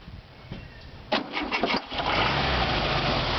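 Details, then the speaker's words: VW Beetle after fuel lines, previously reversed, were corrected, started with starting fluid: cranks, catches and picks up on throttle, then hangs unevenly and won't hold idle on its own. "can't get it to idle but we got it started you think that was an official start yeah"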